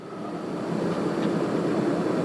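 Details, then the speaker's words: MaxxAir van roof vent fan after its motor was replaced under warranty. The old motor gave a high-pitched squeal at 10-20% speed; now it gives a smooth, quiet whoosh at 10-20% with no squeal: normal. "So let's try it on a low speed, which is on 10. All right, so that's 10, 20. That's so quiet. It's so much quieter now."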